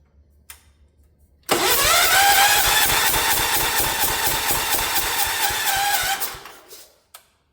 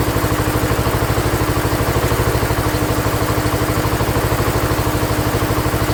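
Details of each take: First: Ford LGT 145 lawn tractor left in a parts yard, cranking for about five seconds with a hissy puff each turn after a few firing attempts. A bad head gasket leak is suspected, not confirmed. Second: Ford LGT145 garden tractor, year unknown, bought from a parts yard; after head gasket work and carb set to factory specs, even, steady thumping idle with regular firing beat, no misses or rattles; runs healthy.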